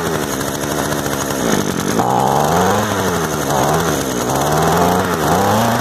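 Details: Used Echo two-stroke gas trimmer of unknown history, just started with choke turned off, idle being adjusted: high buzzing note that surges and settles, revs pick up cleanly; runs steadily, quick easy fix.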